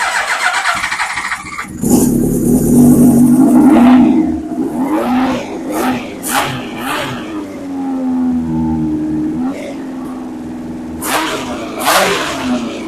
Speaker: So, it does run, but I I know the fuel is leaking from the carbs, but without the fuel to turn the fuel off, it should in theory fire on brake cleaner, but it's not.